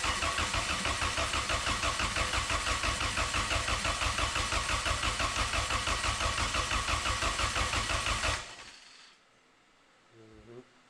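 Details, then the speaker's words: Turbo Honda Accord, ECU fuse unplugged so no fuel, exhaust off, oil line run into a jug to check oil pressure: starter turns it over at a regular rhythm for about eight seconds without catching; no oil came out, totally dry. "This is with the ECU fuse unplugged. So, no fuel. We'll just crank and crank."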